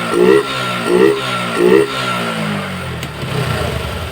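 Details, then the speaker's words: Yamaha Jupiter MX after repair of klotok knocking and smoke, connecting rod big-end bearing replaced: three quick throttle blips then steady idle, smooth with no knock. "Geb begitu halus motornya"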